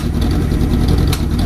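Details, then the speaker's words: Motorcycle with new sealed AGM battery, aftermarket Kerker exhaust, air pilot screws 2 turns out, fuel pilot about 7/8 turn, reading 16 V while running (possible overcharging): a loud, lumpy idle with low thumping and a sharp pop. It backfires at idle; cause unknown. "You hear it backfiring a little bit. Now that backfire, I'm not too sure what is."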